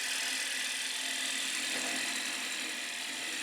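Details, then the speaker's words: Woodturning lathe turning a pedestal flower spin top; hissing cut with a faint, uneven rapid rattle about three a second, light tool chatter, so the cut needs slowing down. "You can hear there's a little bit of chatter, so I need to slow down on my chatter."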